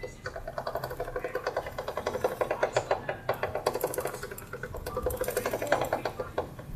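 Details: 2004 Honda CBR1000RR chain, just cleaned and lubed along with the sprocket: quick regular clicking and rattling, about seven per second, as the wheel turns. Source unclear. Chain noise.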